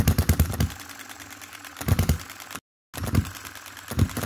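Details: 2022 Enjomor Chinese hit-and-miss engine after valve timing correction (exhaust opening just before, closing just after exhaust stroke), extra governor weight lead and a small adjustable spring for quicker latching. Slow single-cylinder bangs in bursts with coasting gaps, latching cleanly without rev-up; normal hit-and-miss running.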